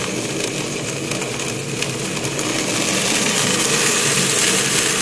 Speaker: sounds like rock literally like rocks going to the pipe and again we cause it by dropping too low of a pressure causing flashes to occur and when the pressure rises again the bubbles collapse and that's where cavitation occurs